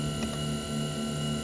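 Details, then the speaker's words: Tesla Model Y, parked in the garage 24 hours with AC off and no battery cooling: a constant low hum with a thin steady whine starts when the door opens. It comes from a small motor or pump under the front trunk, left side under the big vent, not the heat pump; source unconfirmed. "it sounds like a motor of some sword or a pump or something i have no idea so that's the part that makes this noise"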